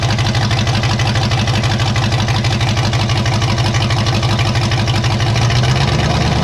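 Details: 1954 Chevy 3100 at first fire-up: low, steady idle with a slightly uneven pulse about three times a second. Owner suspects open vacuum ports pulling in extra air. Rough idle.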